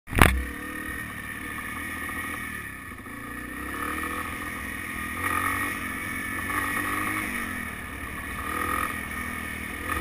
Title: BW200 Rattling Sound